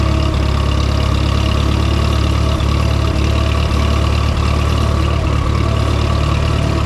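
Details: Minneapolis-Moline M5 tractor idling cold on a 25-degree morning, hydraulic oil thick; low steady idle, even beat, no knocks or misses while warming up; oil pressure good, charging; sounds healthy.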